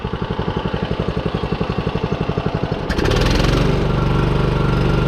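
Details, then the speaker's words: John Deere 14SB push mower, single-cylinder, during carburetor adjustments: even idle around four beats a second, then revs cleanly to steady high speed with no bog or stumble. Owner notes slight top-end tap, valves possibly need adjusting. "it ramps up perfect."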